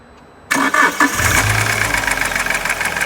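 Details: Alfa Romeo 147 Twin Spark: brief crank, then a loud rapid metallic clatter over the idle, unchanged cold or warm and seemingly from the top of the engine. Bearing wear was suspected, but the fault was minor and the noise went away once repaired.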